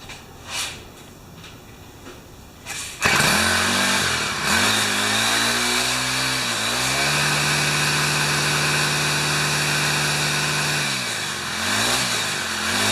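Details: Older Yard Machine 4-stroke trimmer that wouldn't run, after new primer bulb and clean cartridge, on choke: quiet until about three seconds, then catches into a steady even buzz rising and falling with throttle.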